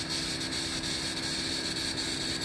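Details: 12-volt in-line marine bilge air blower on a speed controller, vent fan of a homemade low-lying fog generator, fog machine off: steady high-pitched whirr with airy rush, no rubbing or sloshing; runs smoothly.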